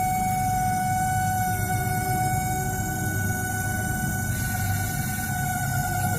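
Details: LG MS1911HE microwave oven running on timer: loud steady hum with a constant high tone from the fan motor; noisy fan motor, fixed by greasing and oiling it.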